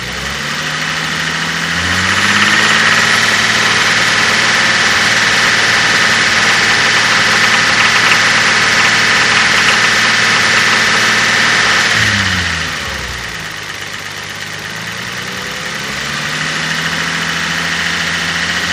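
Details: 5MGE petrol engine idling and revving: a steady, quick tapping or clacking clatter on top of the running sound; owner is unsure whether it is lifters, knock or slap.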